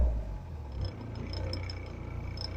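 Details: Talbot Express Highlander MK2 diesel motorhome after replacing lower engine/gearbox mount to cure first-gear judder: low steady tickover rumble, faint light clicks up top, no clear ticking; owner notes more vibration since. Normal idle.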